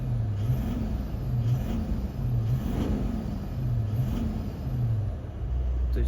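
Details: Toyota Land Cruiser 200 1VD-FTV diesel, knock heard under load in D without brake; injector No. 7 (correction −2.1) disabled via scanner: low even rumble, knock gone, returns when re-enabled, pointing to faulty seventh injector.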